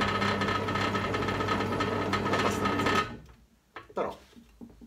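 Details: Parkside PTBM 500 E5 drill press (2019): motor hums with a light, quick rattle for three seconds, then spins down; after the loosened motor was pushed back and retightened, the running noise is quieter but not gone.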